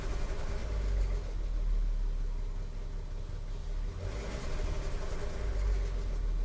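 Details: Audi A3 3.2 at idle; light metallic clatter/rattle from the timing chain case that disappears above about 1500–2000 rpm. Owner asks whether the camshaft adjusters are also faulty or only the chains, tensioners and guide rails need replacing. Rattle at idle.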